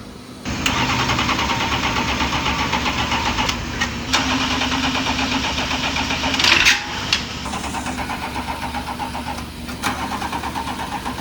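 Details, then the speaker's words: BMW E38 being driven from Latvia toward Norway, an hour before the ferry: long spells of fast, even starter cranking with short pauses, turning but not firing; suspected bad contact, left to charge. "1 hour till ferry. >> It doesn't start again. >> 1 hour till ferry doesn't start. Wait, maybe it's bad contact."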